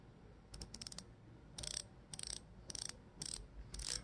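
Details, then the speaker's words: Bicycle rear-hub freehub body, disassembled and cleaned of its heavy grease to make the ratchet louder, then reassembled and hand-tightened: quick bursts of crisp, even, loud clicks as the wheel coasts, like a revolver cylinder turning. Normal freehub ratchet clicking. "꼭 우리 리볼버 총에 그 총알 넣는 거 그거 돌아가는 소리 같아요. 전 이 소리가 굉장히 좋아요. 따닥따닥 거리는 소리."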